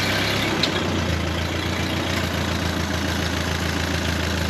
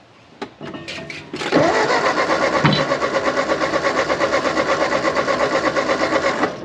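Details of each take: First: 1939 Ford 9N tractor that sat 25 years, fitted with a used engine rebuilt 30 years ago, started on choke and throttle without starting spray: a steady, quiet, even idle with a soft low rumble and no knocks or misses; normal idle. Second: 1939 Ford 9N tractor, swapped rebuilt engine unrun for over a year and a half, ATF in cylinders; cranks steadily about three beats a second but never fires; weak intermittent spark suspected, coil reportedly fine; crank no start.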